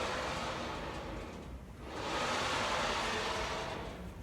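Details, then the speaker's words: Hammer panel saw/combination machine (K3/B3/C3 series) sliding table on its ball-bearing system, rolling with a smooth, even rush and no knocks or grit. Normal, healthy bearing travel. "now one of the big differences with the hammer range is the sliding tables and this one's locked off siding tables are on a ball bearing system just listen to"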